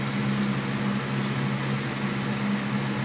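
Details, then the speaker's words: External hard drive, possibly dropped or wet, plugged in with a docking adapter, blue light on: steady low hum and rumble with no seek clicks or pitch change; spinning but not stable and may not be read, cause unclear. "Alrighty. So I just plugged it in, and you can see it. The blue light's on. And I could hear it rumbling."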